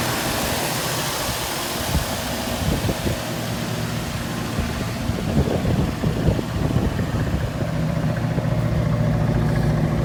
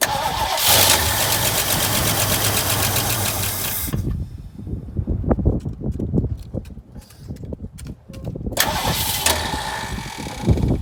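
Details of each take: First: 1968 Mustang V8 that sat for years, first start after a swapped carburettor and added fuel pump, running from an auxiliary tank rather than the car's tank, about 25–30°F outside: deep, slightly lumpy idle with some pops but steady. Normal idle. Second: 1968 Mustang sitting 8 years, new battery, primed with capfuls of fuel: starter churns steadily for several seconds, pauses, cranks again but never fires; owner suspects fuel pump not pumping or carb empty, choke uncertain.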